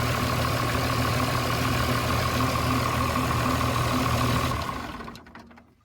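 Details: 29-year-old TimberJack 450-C skidder diesel after sitting 8 years, freshly started: even steady idle, smooth low beat about 200 per minute, no misses, then clean shutdown; zero blow-by, healthy.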